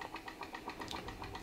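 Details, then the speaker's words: PM Research glass Stirling solar engine #7 turning slowly while driving a model Baker fan under load gives soft, even clicking at about seven beats per second with a steady rhythm; it runs normally and sounds like an engine working. "it's working to turn that baker fan sounds great sounds like an engine under load working"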